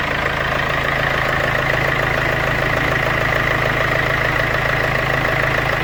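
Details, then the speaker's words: 2014 Infiniti Q50 2.2 diesel (OM651) idling after replacement of the V-belt, tensioner and pulley. Steady, even diesel clatter with no squeal, chirp or rattle from the belt: a normal, healthy idle. "you can hear no strange sounds or whatever rinse okay so consider it done"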